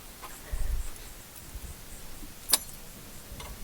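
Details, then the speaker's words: 2004 Audi A4 B6 sitting three years, first start attempt: a few sharp isolated starter clicks with no cranking on a very dead battery, poor connection suspected; later jump-started. "think I need a little more juice this batter is very very dead like I said"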